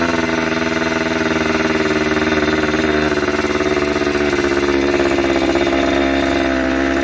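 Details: Yamaha 125 two-stroke enduro running again after fresh gas and a new spark plug, started with a little choke: buzzy, crackling note rising and falling through light revs, settling to a steady clean idle; normal two-stroke running.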